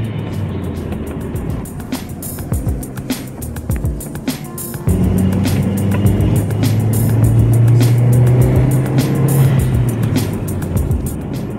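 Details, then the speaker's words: Audi TT 225 turbo, warmed up, after new spark plugs and R8 coil pack upgrade fixed violent stutter under boost; pulls cleanly under boost up to 20 on the gauge with no misfire. "is great no more misfire boosts smoothly all the way to 20 she is back in action"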